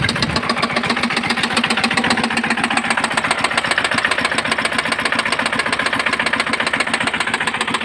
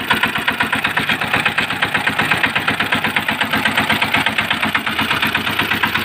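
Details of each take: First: Engine that jammed and ran tight: a piece of broken air cleaner filter got into the cylinder between piston and head; sharp, evenly spaced knocks about 220 a minute over the running engine; knocking from a foreign object in the cylinder. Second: Small engine after teardown, repair for jamming and noise caused by a broken air cleaner filter piece lodged between piston and head: quick, even put-put with crisp regular firing, no knocks or misses; normal idle after repair.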